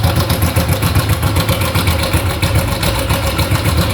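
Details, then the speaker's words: Honda Biz 100/110 engine idling with a fast loose metallic rattle, about three to four taps a second, from the cam chain, linked to the cam chain tensioner; cam chain rattle. "deu para pegar aí no no vídeo né que tá fazendo um barulhinho esse barulho é da corrente comando tá"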